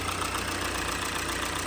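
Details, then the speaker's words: 2017 Hyundai Elantra 2.0 after a swap to a used engine with about 40,000 miles (chassis about 75,000), fresh fluids and oil change, first start: smooth, even idle with a steady low hum, no knocks or ticks; sounds healthy. "these this engine has 40 some Thousand Miles the chassis itself is at 75 I believe sounds very good"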